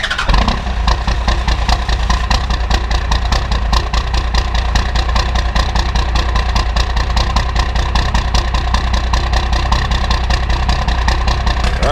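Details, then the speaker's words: 1994 Cummins P-pump diesel, timing over-advanced and overfueled, started cold at 22 degrees in one crank without grid-heater wait: harsh clattering catch, uneven running with heavy knocking about 2.5 beats per second; rough start. "that was pretty rough but they kind of I mean it's a bad idea and actually usually starts pretty easy"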